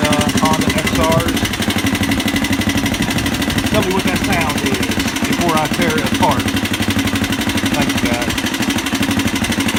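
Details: 1985 Honda XR200R four-valve single, smoking and needing rings: fast steady light tapping about three per second over a rough idle; teardown found the camshaft and rocker arms pitted and wavy, presumably from lack of oil.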